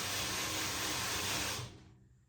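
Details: Blackfox 2"x72" belt grinder, newly assembled, VFD-driven motor in forward: an even, smooth whir from the motor and belt for about 1.5 seconds, then it shuts off and spins down cleanly; normal running.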